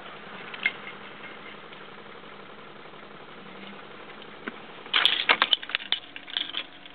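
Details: 1994 BMW E36 318is with a charged battery: quiet cabin, then short bursts of fast, uneven clicking from inside the car while dash lights blink on and off, starter not turning; no-start, cause not yet found.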